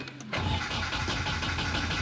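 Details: Turbo 240SX KA engine after its break-in oil change, fuel pump switched off: steady, even starter cranking to prime oil, with the engine turning over normally without firing.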